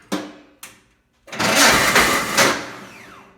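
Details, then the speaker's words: John Deere 318 lawn tractor starter: two sharp clicks, then a loud harsh roar for about a second as it cranks; sometimes it won't engage and only the solenoid clicks, but the engine always starts. Starter fault, cause unclear. "uh sometimes you turn the key the starter doesn't engage at all when at times it does engage it makes a very loud almost like a roar"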